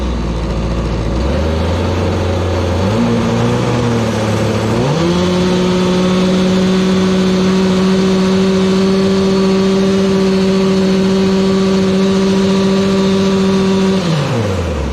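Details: Gas-powered Razor dune buggy engine after repair: climbs in two steps to steady high rev, holds evenly ten seconds, drops back cleanly; revs about as before (formerly ~11,200 dry), possibly running rich.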